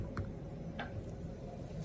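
Over a quiet room hum come two or three sharp, isolated pops a half-second apart: the jar lids pulling down and sealing as they cool.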